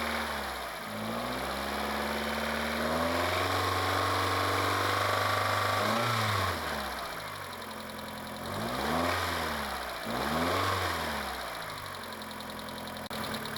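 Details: Mitsubishi 2.0 GDI 4G94 after EGR/intake cleaning and intake refitted: smooth idle and revs with light, quick, steady ticking about three or four per second on top; lifter tick this engine always has.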